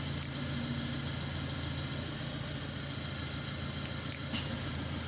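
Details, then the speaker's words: Peugeot Partner/Citroen Berlingo 2.0 L diesel that blew warm air on AC, before refrigerant recharge: steady diesel idle, then a light click and slight load change as the AC compressor clutch engages normally. "that's off here the change of the engine now and you can hear the compressor kicking in"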